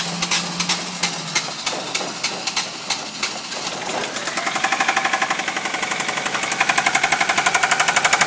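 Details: 1998 Ford Focus MK1 with FYDA petrol engine, 230,000 km, hard to start after standing three months: a sharp, regular knock at idle that grew after the standstill. Owner suspects a valve seat or rod bearing; the engine was eventually replaced.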